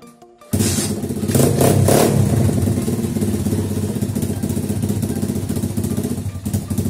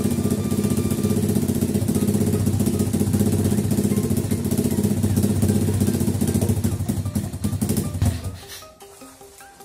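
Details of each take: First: Pitbike single-cylinder engine after carburetor cleaning and idle mixture screw adjustment: steady, even idle beat with no stumble or hunting; mixture is set well, and fine-tuning is aimed at the highest idle speed. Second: Pit bike carburetor after cleaning, at idle: a small single-cylinder idles with a lumpy, unsteady beat before the revs sag away. The idle mixture screw was too far out; the aim is the highest idle rpm.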